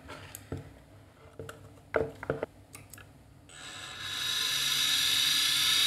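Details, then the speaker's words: Scrapyard hard drive with connector damage; a few sharp clicks then a harsh high-pitched scraping hiss building at spin-up: grinding from damaged platters. "this is probably the one that made all that noise okay here's the secret of the noise of hard disk number one"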